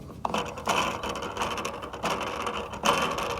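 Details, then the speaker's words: Pool cleaner backup valve gear train, just after a stuck or slow-closing fault was fixed by pushing the small gear back down onto the bar. Light ratcheting clicks and gear chatter in steady bursts with no binding; the gears turn normally. "just like it's supposed to. So just adjust the small wheel by pushing it down onto the bar, and problem solved. Okay, it's fixed. You can hear the gear in there turning."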